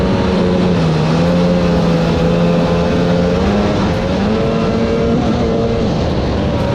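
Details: 1995/1996 Sea-Doo XP 800 two-stroke twin under load: uneven, lumpy note, not firing properly on both cylinders, so one is misfiring. Afterward a blown exhaust is suspected and the popped flush line is found, with the hull filling with water.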